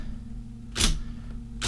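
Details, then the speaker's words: IBM Selectric II typewriter powered on, motor driving belts: steady motor hum under two crisp keystrikes about a second apart, clean even action; mechanism working properly. "So if we turn it on, you hear the motor. We see that belt spinning. Everything's working as it should."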